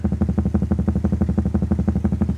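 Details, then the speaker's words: 1931 Airline 62-14 radio after fitting a new part and a new volume control: a rapid, regular putt-putt of about six pulses a second and no station tunes in. Receiver fault; the volume control has no effect, cause unclear. "we have noise. Can I tune in station? No, I promised you noise."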